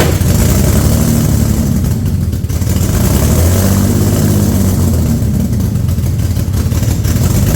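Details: Infiniti G35 rebuilt engine at first start, modified polished intake and opened lower plenum, radiator not connected, no engine light: revs up and falls back, then idles unevenly with stumbles; massive vacuum leak suspected.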